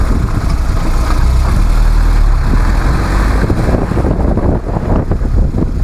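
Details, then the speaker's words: Car braking on the road after 1,000 km on new pads given hand-cut slots and chamfers to cure squeal: only low road and tyre rumble, with no squeak or squeal; the pads run quiet. "итак 1 тысячи километров уже пройдено колодки ведут себя тихо тормозят эффективно но для наглядности давайте послушаем"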